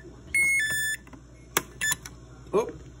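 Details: Samsung RB215LASH fridge: the door alarm is stuck beeping in short, sharp high electronic bursts even when the cause is unclear. It is silenced by snipping the wire to the piezo speaker.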